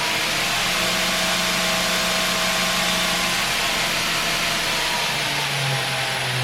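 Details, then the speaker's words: 2x72 belt grinder motor run through a VFD on 220V: steady even belt hiss over smooth motor hum, no knocks or wobble, minimal vibration; normal running. "it's running pretty good and I'm happy"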